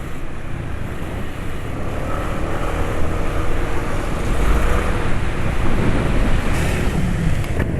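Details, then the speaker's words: Car engine running 9Circle oil mixed with Jumbo oil treatment, about 3 km from the office in traffic: loud, deep, rough roar under hard driving with severe vibration; owner suspects the oil cannot cope with stop-and-go traffic. "Wah iya ini getarannya mesinnya wis Parah ini sayangnya penulis enggak bisa nunjukkan di video getarannya kayak opo"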